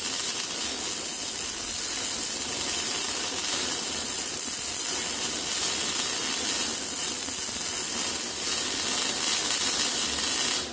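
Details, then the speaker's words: ARCCAPTAIN MIG 205 MP multiprocess welder MIG welding a repair on an old bar stool, real-time sound: steady, even sizzling crackle for about eleven seconds without sputter or popping; normal MIG arc. "so uh let's fire up on this and we'll do some MIG welding on this thing and I'll play it in real time with real sound so you can hear this thing uh so you can hear this machine operate and how and hear how it uh how it does"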